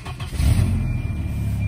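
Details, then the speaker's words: 240 after repairing no-start by splicing in a hidden inline fuse: engine catches quickly without gas, swells briefly, then settles into a steady low even run with no misses; runs better than before. "I'll get her a start up here starts great now runs better than it did before that"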